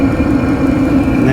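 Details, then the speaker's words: Cheap Chinese diesel heater running off the battery in a Sprinter van, heard from underneath near the fuel pump: steady low hum with a soft, regular clicking from the fuel pump; runs evenly and puts out strong heat. "so let me show you the underside so i'll show you what we got going under here is we have this is the fuel pump you can hear it clicking"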